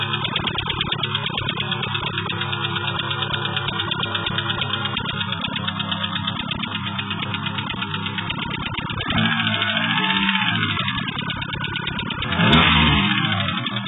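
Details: 1992 Plymouth Colt Vista petrol engine at idle: a light, uneven tapping runs through the steady hum. The owner asks what the noise is and how to fix it. Engine tapping noise.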